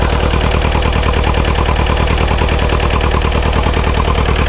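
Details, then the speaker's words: Neglected, frozen Bobcat T595 skid steer diesel at cold idle: lumpy, heavy loping beat, about 3.5 cylinders firing; misfire. "All right, so we went from 2.5 cylinders to 3 cylinders. Come on. We're running on like 3.5."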